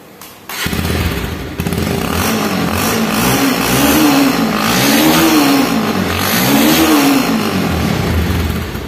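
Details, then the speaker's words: Motorcycle with the three partitions inside the muffler cleared with a thin rod: loud, open, throaty exhaust swelling and easing with each throttle blip, called a sweeter sound. "Clear করে দিলে কি হবে আর সাউন্ডটা কেমন হবে সেটা আপনারা এখন শুনুন। সাউন্ডটা অনেক মিষ্টি হবে, আমার কাছে ভালো লাগছে, জানি না আপনাদের কাছে কি লাগবে।"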